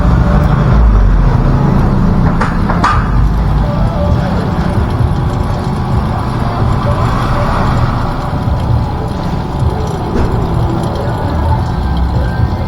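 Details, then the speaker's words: Vacuum pump pulling on an R290 system; when the valve is closed the steady low drone stays the same with no drop, meaning no leak and the system holds, while a quieter note would mean a leak. "Pag sinara mo na mas tumahimik, ibig sabihin may leak. Pero kung sinara mo at pareho ng tunog, okay yan."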